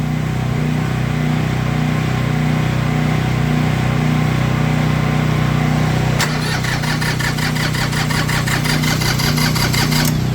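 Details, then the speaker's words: Cold tractor diesel on a cold morning, just started with a hair dryer blowing hot air into the intake as a temporary fix, chugging with an uneven lumpy beat and slowly steadying; the owner says the glow plugs, or one of them, are bad. "oh she's cold this morning boy don't like it but we're going to let it run keep running"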